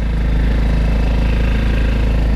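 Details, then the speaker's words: Go-kart that cranked but wouldn't start, suspected dirty carburetor; after carb cleaning, running before a drive: small single-cylinder engine putters at a quick, even idle with no misses or stumbles, running cleanly and steadily. "there we go now we need to let the fuel go through the line but it sounds like it's running pretty good"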